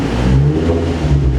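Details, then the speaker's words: Nissan 350z project with loud open exhaust, before remap: short clean throttle blip with smooth rise and fall, no stumble or misfire, engine running cleanly. "see that didn't sound that no misfire so that's absolutely awesome"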